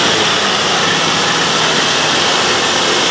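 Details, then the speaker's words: Nissan Skyline R34 running for the first time in five years after a fuel pump replacement, battery charged by solar panel: a steady hiss and rush with no knocking, ticking or misfire; a smooth, even idle. "After 5 years of the car sitting, and it sounds good. There's no knocking, there's no ticking. This car is running so smooth."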